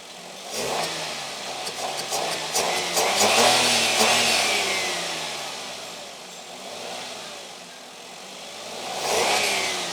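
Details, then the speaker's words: Suzuki Wagon R three-cylinder petrol with shaking and poor pulling and no fault codes, after parts were set and corrected, running without the new air filter fitted: engine picks up cleanly on each blip and settles smoothly, normal response. "Engine നല്ലോണം റെസ്പോണ്ടും കാണിക്കാൻ തുടങ്ങിയിട്ടുണ്ട്"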